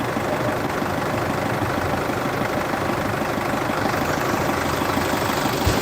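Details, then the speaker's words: 2014 Isuzu D-Max 2.5 VGS Z diesel pickup, about 70,000 km, first start of the morning from cold: even, soft diesel clatter at a steady idle with no knocks or misses, and no smoke. Normal idle. "นี่ดูครับเสียงเครื่องนิ่มมากเดี๋ฟังเสียงเครื่องกันนะ"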